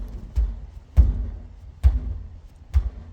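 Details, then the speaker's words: 2024 Ford F-150 single cab Coyote V8, bed rocked by hand: four dull uneven thuds about a second apart, the bed clunking, worse on the left; cause unknown, frame suspected, dealer assessing, may replace the bed. "hear that rattle? I don't know what's going on with the bed of this truck."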